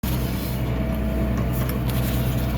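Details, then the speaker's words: Ferguson tractor rolling a seed bed: steady low drone with loose continuous clatter from the rolls behind; normal roller rattle. "Back on the Fergie this afternoon, and the rattling you can hear is the rolls."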